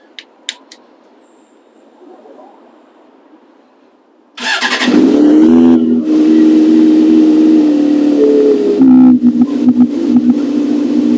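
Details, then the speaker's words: Galaxy Black motorbike started after standing unused for months in cold weather: quiet, then it catches on the first crank and settles into a steady, even, smooth idle; healthy start. "One of the other things I need to do while I'm here is start it up, because it's been months since I started it up. So let's see how it does."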